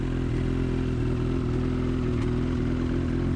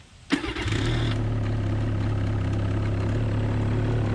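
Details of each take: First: New 2019 Ski-Doo MXZ Blizzard 600R E-TEC two-stroke, stored a year in its crate, run only minutes before, cold and in break-in mode: slightly uneven, lumpy idle with faint rattle and the windshield shaking; rough idle before warm-up. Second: New 2019 Ski-Doo MXZ Blizzard 600R E-TEC two-stroke snowmobile, first start after a year crated, likely old gas, about five minutes' running since purchase and about the same at the dealer, GoPro built-in mic; catches quickly and settles into a quiet, even idle the owner calls rough.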